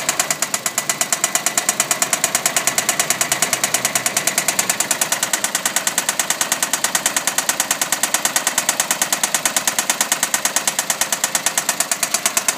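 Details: Engine run about 16,000 km without an oil change; hard, rapid metallic knocking rattles steadily and loudly over the running engine, a badly worn, oil-starved bottom end likely.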